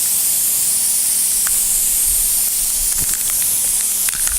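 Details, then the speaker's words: Punctured tubeless radial tire during plug repair: steady loud high hiss of air from the tread, rushing harder once the reaming tool enlarges the hole; tire air leak. "So that clears it out. Then come out fast. You can hear we're making more air. Just made the hole slightly bigger."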